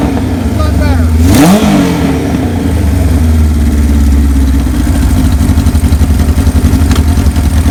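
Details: 1978 Kawasaki KZ1000A four-cylinder, believed original miles, estate bike, maiden hot-wired startup with small gas leak: catches, blips once, settles into steady even idle, no knocks; normal idle and revving.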